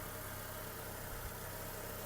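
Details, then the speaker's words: 2008 VW Golf 5 1.6 MPI petrol, 187,000 km: smooth, even idle with a steady low hum; the engine runs quietly and evenly with no smoke and no misfiring, healthy. "По заводу Мотор працює тихо рівно не димить не троїть"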